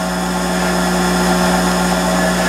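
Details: Monarch 10EE lathe after oiling and warm-up, spindle running at about 1200 rpm: steady even hum, constant tones, no knocks or rubbing; normal running.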